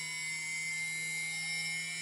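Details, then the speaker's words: TBS Discovery quadcopter build, TBS 900 KB motor (engine number three) balanced with tape, vibration checked via iPhone iSeismometer app: smooth steady high-pitched whine with no wobble or beat while throttling, no excessive vibration in the boom. "that was really good so it's quite the same and throttling so giving no excessive vibrations in the boom"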